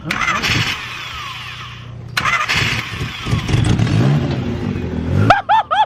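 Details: Junkyard-saved Honda CRX cranks in a couple of starter bursts after the main relay is swapped for a fuel issue, then catches into a rough, uneven idle; an exhaust leak is noted, no check engine light.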